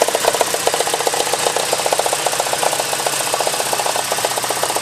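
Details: Porsche 944 2.5 naturally aspirated petrol four-cylinder idling with a sharp mid-pitched knock about four times a second: engine knock at idle.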